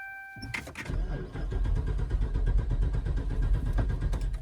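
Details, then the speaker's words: 2014 Dodge Charger Pursuit Hemi AWD, after sitting a few minutes: starter churns in steady pulses but never fires, no fuel pump hum; owner suspects the pump, fuses and relays not yet checked. "Huh. Well. Well, I just let the car sit for a few minutes, tried it again, and it's still just cranking and not firing up."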